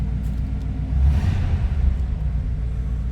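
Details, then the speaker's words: 1941 Cadillac Series 62 coupe flathead V8, just after a cold start in neutral: deep, even idle rumble swells quickly on a short blip and settles cleanly back to idle; normal throttle response. "Nice throttle response out of that flathead V8."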